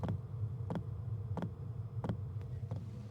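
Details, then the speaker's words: Warmed-up diesel heater mounted on camper's side: sharp regular fuel dosing pump ticks, about 1.5 per second, over low heater drone, transmitted through the mounting; after adding a pump isolator it seems slightly quieter but still audible. "Definitely seems like it's a little bit quieter. Definitely still feel the pump. I feel like it doesn't seem as loud."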